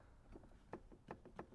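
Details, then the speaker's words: 1993 Honda CR250 dirt bike, rear wheel rocked by hand: about four dull knocks in under two seconds from free play, indicating worn rear wheel bearings that need replacing. "the wheel bearings are done on this bike it needs rear wheel bearings"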